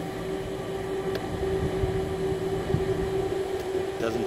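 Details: School blower fan in Auto mode: turning the speed adjustment set screw fully up and down leaves a steady drone near 400 Hz that never rises or falls; blower stuck at one speed.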